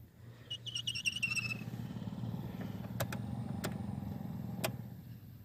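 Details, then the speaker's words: 2011 Toyota Tacoma blower motor, before replacement; quick run of high chirping squeaks over steady fan rush, then fading; bearing running dry, lubed months ago but returning, was worse: dry blower motor bearing. "if you can hear that squeaking noise, that's the bearing running dry. It was a lot worse than that."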